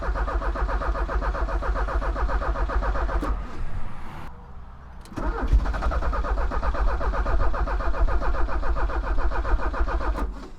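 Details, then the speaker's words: 1985 Porsche 944 off the road since 2013, first start attempt after fitting a new relay: sluggish, uneven starter churning about four beats a second that drags, stops and resumes without firing; owner suspects a dying battery drained by the headlamp motor. "That battery sounds like it's dying, doesn't it? Because of my headlamp motor."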